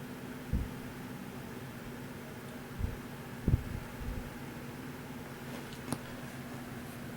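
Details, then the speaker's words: A 1954 Emerson 77646-SG 12-inch oscillating fan (0.5 A, 3-speed) on the low switch position gives a faint, steady low hum under a soft rush of air, with only a few handling bumps; it runs insanely quiet while pushing a lot of air. "Start off with the first position on the switch, which is low. This is an insanely quiet fan."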